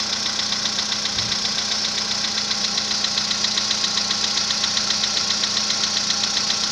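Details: VW Polo Sedan built March 2014, 67,000 km, Liqui Moly oil; cold-start knock that began around 65,000 km. Sharp, very even metallic ticking at about 2.5 per second over the cold idle; cause unclear.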